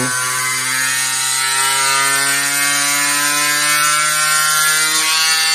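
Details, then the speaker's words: 3D-printed DC motor-generator high-voltage isolation rig lighting a bulb at about 10 V: steady high motor whine with a rattly buzz of about four pulses a second as the mounting bolts vibrate out. "I actually put some electrical tape over top of the bolts. I don't know if that will stop them from vibrating out, but maybe it will."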